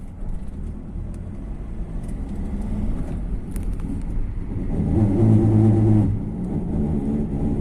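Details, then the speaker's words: Ford Transit van braking: low droning groan rises over road noise then fades; squeak when pedal lightly pressed or released, disappears with firmer pressure, persisting even with new brakes; caliper suspected, cause not confirmed. "вот нажимаешь сильнее он пропадает отпуская опять скрипит и как будто отпускает со временем"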